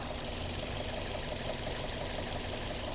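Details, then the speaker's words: Toyota Corolla Altis, warm engine at idle after about 45 minutes running (quiet when first started): light, fairly even tapping about twice per second over the idle; knock appears only once hot, overhaul expected; engine knock when warm. "Pero nung tumagal ng halos 45 minutes namin pinapaandar, kumatok na ang makina."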